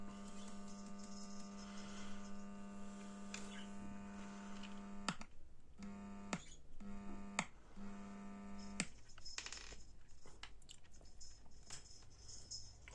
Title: What is the humming sound in the amplifier, BD424 Amplifier,👍🙏 Subscribe.